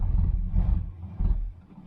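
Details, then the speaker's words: 1977 Chevy Malibu Classic, 72,702 miles, sat 12 years, creeping in gear: deep, even V8 rumble with no misses or knocks, fading as it slows. Normal running. "the man she runs good runs good got breaks and it does move"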